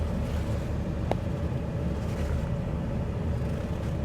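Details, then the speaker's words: Jeep Liberty at dealer auction, idling: constant deep, coarse, loud rumble without muffler smoothness; exhaust issues suspected, possibly a missing muffler. "There's a Jeep Liberty, very similar to the one Nathan bought for a recent cheap Jeep series. Doesn't sound as good though. No. Sounds like it's got some exhaust Missing issues."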